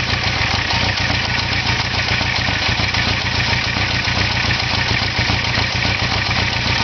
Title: Idle Sound Issue